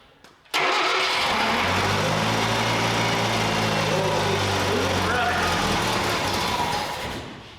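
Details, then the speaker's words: 1968 Datsun 520 engine, first start after rebuild with new coil and electronic ignition distributor: quick crank, catches at once, settles into a steady, even idle with no misfire or knock; smooth runner, owner thinks it may need a little choke. "Smooth runner. I feel like we need to maybe choke a little bit. There's our first start."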